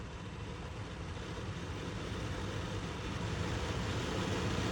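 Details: 2016 Toyota Sienna LE: a new A/C blower motor assembly bench-tested before installation. Smooth, even rushing airflow builds as it comes up to speed, with no ticking or grinding: a healthy blower motor.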